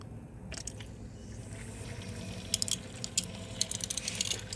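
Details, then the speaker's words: BMW N52/N54 after coolant flange replacement, bleeding: ignition on, heat 28° with fan low auto, gas pedal floored 10 seconds. Irregular trickling gurgles and drips over a soft hum as the electric water pump purges air, about 10–15 minutes. "And then you're going to hear that noise. That noise is your electric water pump bleeding the cooling system for you."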